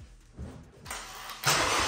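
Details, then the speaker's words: 2022 Vanderhall Venice GTS with rebuilt engine after a battery replacement, run briefly with no coolant: starter cranks briefly, engine catches cleanly and settles into an even, steady run with no knocks or rattles; normal start. "we've got no coolant so I can't run it for long sounds good"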